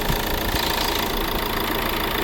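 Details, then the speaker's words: Hyundai i30 idling after the high-pressure fuel pump sensor was replaced for fault code P2264. Steady, even idle hum with light injector tick and no misses or knocks; starts clean, no leaks, running normally. "You can see it's starting clean and fine, and everything is okay. No leakage, no one installed, perfectly"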